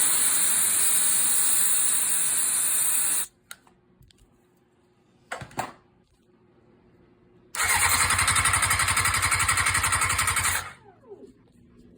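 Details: Engine that won't start even with starter fluid, after cam pulse sensor and stator replaced: starter turns it over in quick even pulses twice for a few seconds, never fires; crank no start.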